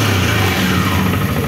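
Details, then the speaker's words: 2015 CFMOTO X8 ATV after repairs including variator, brakes, suspension, steering shaft and engine leak fixes: a steady, even engine note with no knocking or metal grinding. Engine runs smoothly, normal running. "now we are starting the engine we hear that our engine runs like a clock, no extraneous sounds, no grinding of metal"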